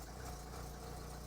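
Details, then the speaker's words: Renault Clio Baccara after fitting a correctly sized starter battery, fuel low: low steady idle with even beat, no misses, knocks or stumbles; engine running smoothly after a successful start. "we have success we don't have a lot of fuel but we have success"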